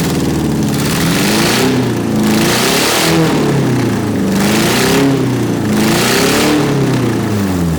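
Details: 1991 Eagle Talon TSI AWD, first run after a fuel pump replacement, blipped about every second and a half. A loud, raspy bark with clean pickup and no misses or knocks: normal running and revving.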